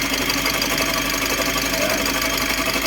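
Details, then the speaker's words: Mitsubishi L300 Euro 4 CRDi diesel at idle: loud rough running with harsh rattling whir from worn alternator pulley and its two bearings, not the engine itself; before pulley and bearing replacement. "Napakalakas ng tunog so Hwag kayong mataranta pagka nagkaganyan yung sasakyan niyo baka isipin niyo makina kaagad yung problema so ang pinak problema nito guys alternator an yan lang naman yung kadalas tumut dito pulley or yung dalawang bearing niya"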